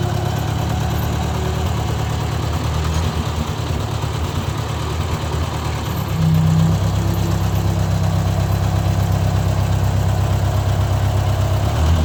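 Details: Owner's 1956 Ford 640 tractor, restarted after years unused and after a pinched oil-pressure line was fixed: even, steady low idle holding smooth through a small rev bump, no misses or knocks; runs well but still rich, carburetor needs adjusting.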